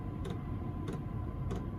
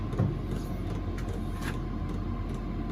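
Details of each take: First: Chinese diesel heater running on kerosene: soft, evenly spaced dosing-pump ticks about every 0.6 seconds over a steady low heater rumble. The pump is felt to bang too loudly, but this is normal operation. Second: Chinese diesel heater running on kerosene in a workshop; steady combustion roar with loud fuel pump ticking about twice a second, banging pump needs quieting.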